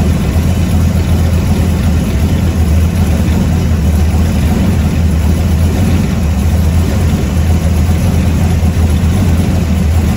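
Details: 1970 Ford F100 warming up at idle after a newly completed straight-through exhaust: a deep, steady, loud rumble with an even beat and no misses, a healthy engine; the alternator is separately not charging.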